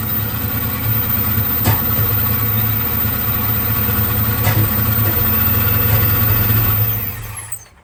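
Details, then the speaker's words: Procharged 1996 Mustang GT, EGR deleted, runs badly even with a new aftermarket 42-lb injector MAF: rough, uneven idle for about seven seconds, stalls as soon as the MAF is plugged in; MAF wiring or computer suspected, not the sensor. "As soon as I plug the MAF in, it kills the car. Interesting."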